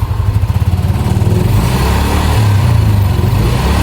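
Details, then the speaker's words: Yamaha NMAX after major service fixing a noisy engine (very loose cam chain, leaking chain tensioner, missing camshaft O-ring, worn block replaced; NGK plug, new oil): even, steady engine note, clean firm pickup, no rattle or tapping; healthy. "Sekarang udah aman ee suaranya udah hilang dan tarikannya udah jauh lebih enak dari sebelumnya, Guys."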